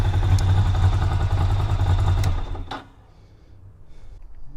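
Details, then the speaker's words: Ducati Monster 600 V-twin after fitting stock Monster 600 exhausts in place of cut-down shorties, cold with choke on: lumpy but even twin burble at choke-raised idle with muted exhaust, then it drops away; much quieter, healthy cold idle. "oh that's much that is actually much much quieter i'm really happy with that that's with the choke on because it's 789 degrees but that's much quieter"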